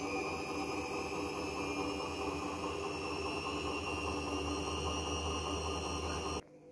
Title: A client just send me this....crazy noise from worn out bearings